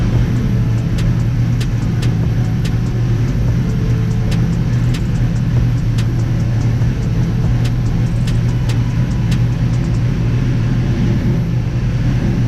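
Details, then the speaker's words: Toyota Supra MK4 700HP build with BC 272 camshafts, ProEFI standalone ECU, first start: deep, steady idle with uneven loping beat, the normal lope of big-duration cams in a healthy engine. "y'all heard the cams y'all heard what it sound like"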